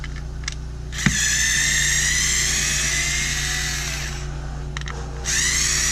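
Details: Bosch Ixo cordless screwdriver (unit 3), bought not working and completely dead, after repair: two clean steady high-pitched runs with a brief pause, no grinding or rattle; motor and gears healthy, background machinery noise.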